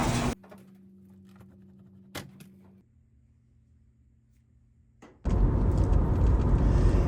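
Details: Samsung dryer, a scratch-and-dent unit: door thunk and faint hum, then a loud, rough, scraping grinding rumble as the drum turns, rubbing against the bulkhead.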